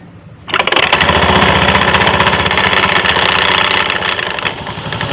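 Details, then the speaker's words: Honda Beat FI automatic scooter CVT/V-belt area at idle: fast, uneven rattling clatter, loudest at the front pulley housing; worn front pulley, with the belt tilting at idle and at risk of its fibres breaking and its edge being pinched. "berarti titik suara terbesar ada di kasus Rumah puli depan bagian sisa"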